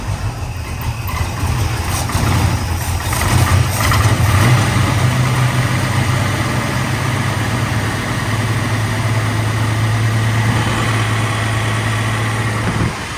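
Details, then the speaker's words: Engine cranked and started in shop: rough loud idle with uneven puffing tick about three a second over low rumble; exhaust leak at headers, fix planned by removing headers and fitting gaskets. "[Music] can hear that exhaustic so I know where I'm working next taking the headers off and putting in gaskets"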